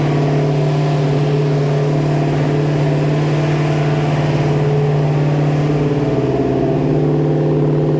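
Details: First start of a new 347 stroker V8 in a 1966 Mustang Fastback (T5): a steady, busy hum that holds high and never settles to a slow lope. It idles fast because the carburettor's throttle/idle screws are unadjusted.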